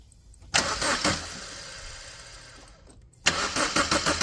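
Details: 2005 Opel Corsa C 1.3 CDTI diesel: two separate bursts of cranking and catching with a lull between, slow to fire and settle; hard start, owner suspects bad flywheel.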